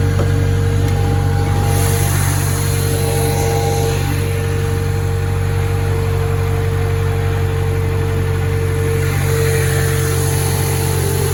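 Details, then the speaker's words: Acura (Honda) stationary at idle before a power steering fluid flush. Turning the wheel brings a constant mid-pitched whine over the engine and steering becomes hard left and right. Power steering pump whine. "okay so it fires up no sound at all you turn the wheel start hearing already and it becomes pretty hard to steer left and right I mean we're not moving but uh still it's hard"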